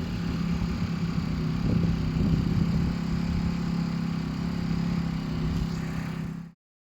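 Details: Aprilia SR50R Piaggio Ditech scooter, in snowy weather, after clearing ECU fault codes and resetting the throttle position sensor; warning light stays off; steady low even idle buzz, then shuts off cleanly, idling properly.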